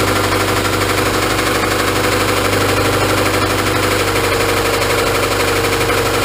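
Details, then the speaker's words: Honda Civic petrol engine idling with a deep, steady knock from a worn rod bearing; owner plans an engine replacement. "yeah so you guys can all just obviously hear that rod knocking in there so we're gonna look into a new engine"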